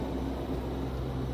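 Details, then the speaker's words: Countrymod rooftop RV air conditioner on a 12-volt supply at 12.5 V, set to 67 cooling, heard at the top unit on the roof: a steady low hum and even fan rush with the compressor running, no rattles or knocks. Normal and fairly quiet. "Sounds about like a normal AC running, not super loud."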